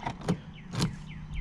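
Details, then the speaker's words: Volkswagen VR6 with newly installed backup camera and LEDs: closing the doors and locking with the key, the horn should beep; instead repeated actuator thunks, locking then unlocking again about half a second apart. Central locking cycles on its own; hatch won't unlock; fuses being checked. "I'll show you guys what happens when I close the doors and use the key to lock the vehicle usually the horn will beep and see and then it locks unlock and then it unlocks again and"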